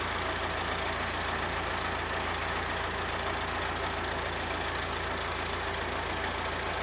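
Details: Massey Ferguson 50HX 4wd backhoe loader, 4-cylinder Perkins diesel, hydraulic pump newly connected to engine, arm cylinders leaking: steady even drone, no knocks or surges, pump under light load; normal running.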